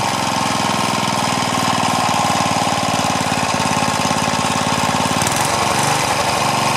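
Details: Craftsman four-stroke edger, Tecumseh engine, after moving governor linkage to correct hole, throttle under halfway: fast even beat at steady speed, no surging or stumbling, neighbor's mower faint nearby; normal running.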